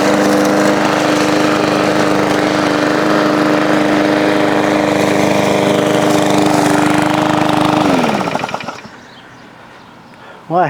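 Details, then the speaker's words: After repair on an old push lawn mower, fresh oil, primed and started in hot weather, mowing grass: a steady, even single-cylinder drone at constant speed under cutting load, then a smooth shutdown. It mowed well and runs healthy. "have to say that thing mowed pretty darn good."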